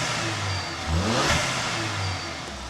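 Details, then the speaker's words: Volvo V70 T5, warm engine after a new turbocharger was fitted: smooth, clean rise on a light blip and an even settle back to idle, with no whistle, knock, fault codes or blue smoke; healthy. "not making any bad noises obviously the car is warm I'm not going to rag the hell out of it being a new turbo but it just sounds sweet"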